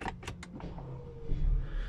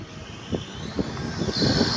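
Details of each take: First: Audi A4 B8 2.0T after high-pressure fuel pump and cam follower removal and refit, primed about four times, then started with brake held. Light clicks, deep rumble catches at once and settles to low idle; clean normal start, no leaks at idle. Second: Audi A4 B8 2.0T running after high-pressure fuel pump work. Thin high whistle rising with each rev and dropping as revs settle; owner suspects turbo and plans to remove it to check for cracks, source unconfirmed.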